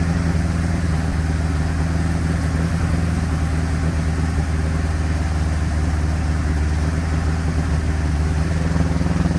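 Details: 1957 Ford Popular 103E sidevalve engine misfiring: deep, steady idle drone with an uneven, stumbling beat that never settles into a clean rhythm.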